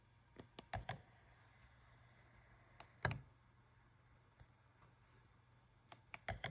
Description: mechanical, knocking and clicking noise that is coming out from XH1 when turning on and pressing the playback button.